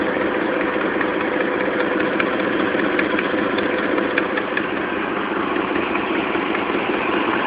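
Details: Dodge Dakota 4.7L at idle: light, quick ticking from the right side, about two or three a second, from a leaking exhaust manifold; replacing the exhaust manifold gaskets with new bolts solved it.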